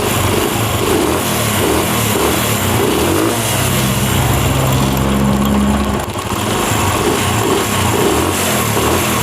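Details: Honda CD70 Euro2 single-cylinder, after oiling the cam chain tensioner rod to cure cold-start noise: steady, even idle with no chain slap or whine; engine sounds healthy.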